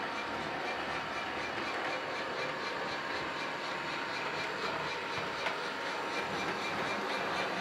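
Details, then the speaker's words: American Flyer Berkshire model locomotive running on the track after smoke unit repair, smoking well, tender absent; even clickety running with light steady whir, no knocks or binding: normal running. "Here she is on the track. Smoking away."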